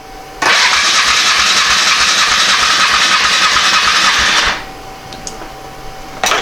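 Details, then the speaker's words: Polaris Magnum 425 liquid-cooled 4-stroke ATV, not run for 3 years, compression test cranking at wide-open throttle: starter turns about three beats a second with no firing and little resistance; about 60 psi, low compression. "It's like we have about 60 pounds. Which isn't a lot."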